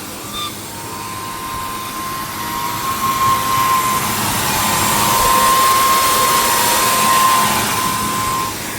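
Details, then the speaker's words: 1998 Ford Explorer, sat five years: after cleaning a valve with parts cleaner, fast steady idle with constant high whine, a little lower but still high; plunger suspected sticking open. "It's a little better. Still high though."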